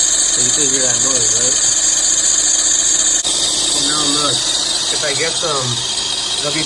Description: 2007 Lexus IS making a loud noise under the hood sounds like a knocking ,squeaking sometimes gets loud or quieter and goes away when applying lubricant..check my tensioner and pulleys everything seemed ok so removed my belt and notice it was dried up and cracked replaced it and boooom problem solved 💪🏼🙏🏼